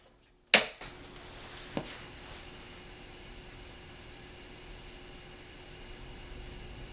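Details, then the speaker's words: Guitar amp on grid wall power, boosted about 16 dB, as a baseline before testing on a Grecell H2400 power station inverter: one sharp click, then only a faint, even hiss and thin steady hum; quiet, clean normal background. "right, nice and quiet."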